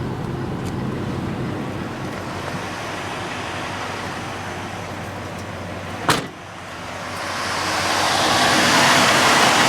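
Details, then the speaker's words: 1981 Chrysler Imperial at idle, electric fan rewired on relays, aluminum radiator, 1981 Dodge fan switch (on at 207°F, off at 176°F): a click, then a rising rush as the fan spins up to an even whoosh. Normal electric cooling fan. "fan switch switch 1981 Dodge on me turns on at 207° turns off at 176 [Music] had to replace the entire stock oh there it goes"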